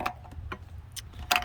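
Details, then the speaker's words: Suzuki Boulevard motorcycle that won't start: sharp, uneven clicks from a switch each time the start button is pressed, with no engine cranking; cause unconfirmed. "so when i push that button to crank it's that switch that is making noise"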